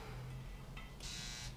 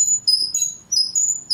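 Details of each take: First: Helios tattoo machine running at 9 volts. A quiet, dense, smooth electric buzz with a short pause midway and no rattle; quieter than a Cheyenne PEN, running normally. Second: Cheyenne PEN tattoo machine: repeated shrill squeaks, about three per second, as the needle depth adjuster is turned; the adjuster squeaks while rotating.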